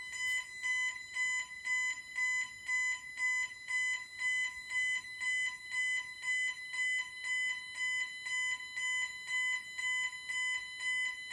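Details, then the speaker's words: Bentley Symphony 2 burglar alarm demo board: high piercing beep pulsing about twice a second, evenly spaced, shifting between the two speakers, before engineer reset; entry tone. "Right, so you could hear that, the entry tone, as they're both got speakers in it, goes back and forth a bit, so just an engineer reset."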